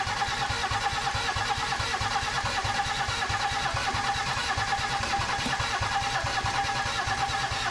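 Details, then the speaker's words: 1987 Mercedes 300SDL 3.0L turbo diesel straight-six, revived after 5 years sitting with 350SDL head fitted: rough, irregular clatter at idle; number two injector bubbling fuel, injectors and lines loose, letting compression escape. "it's leaking out of one of the injectors fuel oil fuel do you hear it it's coming out of number two"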